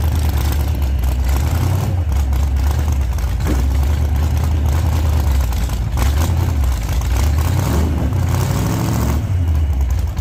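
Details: 1948 Chevy Fleetline small-block Chevy V8, 4-speed, test burnout under load after repair for pushrods breaking on first burnouts: loud deep even roar held at high revs, no knocking or clatter; sounds healthy, normal revving.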